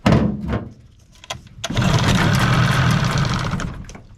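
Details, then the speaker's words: 15 hp Mariner outboard, unused for over two years, on fresh fuel with starting spray and water supply: dull clunks, then catches and runs rough about two seconds before dying; carburetor to be cleaned, choke stuck. "Alright, so it's got life. I'm going to pull the Carby off and give that a good clean."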